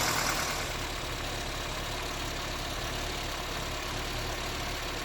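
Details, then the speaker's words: 1979 Austin Allegro after electrical and ignition work, gap measured, just started: steady, even idle holding speed with a busy mechanical clatter over it; normal idle, fault apparently cured. "bloody hell have i actually fixed something [Music]"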